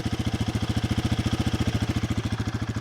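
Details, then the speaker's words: Single-cylinder motorcycle from a Triumph Speed 400 vs Royal Enfield Guerrilla 450 comparison, idling after a choke-assisted cold start. Deep, evenly spaced exhaust thumps with no misses or tapping. Normal idle. "It sounds pretty nice. It sounds not too dissimilar to what my Bonneville sounded like before I changed the exhaust."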